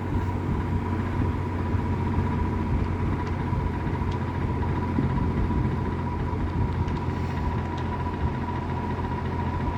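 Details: Likely 1950s W. W. Welch Air-Flight 20" box fan, model 20W-U, with a Universal motor, freshly oiled: an even, steady whir with a low hum and a faint constant tone, no ticking or wobble; running normally on medium speed.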